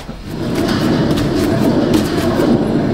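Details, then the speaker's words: 2010 Dodge Avenger 2.4: rough, gritty rumble with fast uneven churn as the front wheel turns, from a bad, loose driver's-side front wheel bearing. "so this is a bad wheel bearing happened to be on the driver's side"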